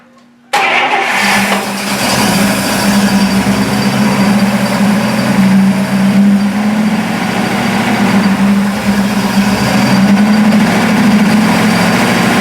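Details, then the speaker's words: Buick after new plug wires, cap, rotor and points, with timing unchecked, starts quickly and settles into a steady, even idle with a smooth hum and no knocks or misses; normal running. "it sounds pretty good and and I don't know if the timing's right"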